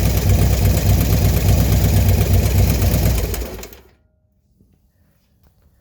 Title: Clicking noise after installation of 110 kit 6/2/19